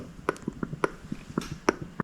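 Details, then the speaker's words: Honda Odyssey fuel pump, off the vehicle, tested by blowing and sucking through its ports: crisp, uneven clicks several times a second as the diaphragm flexes; diaphragm working properly. "You can hear the diaphragm like kind of clicking back and forth. It's actually flexing. So, this one actually is working."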